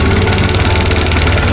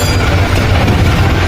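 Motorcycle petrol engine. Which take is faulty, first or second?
first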